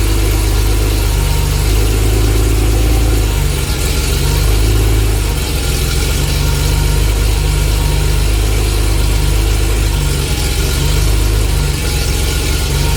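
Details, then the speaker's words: Porsche 911 SC barn find, sat 16 years, idling: deep uneven lumpy idle that stumbles, with a pop back into the intake; mixture needs adjusting, pop-off valve being fitted to protect the airbox from backfires. "right so that's one lumpy you hear that pop back yeah that's why we're going to put pop off valve in here"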